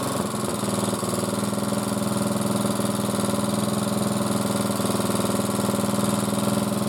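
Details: Hard-worked single-cylinder motor-cultivator, which knocked and stalled in autumn, catches after valve clearances were set (intake 0.20, exhaust 0.15): settles into an even thumping idle with no stray ticking; normal running.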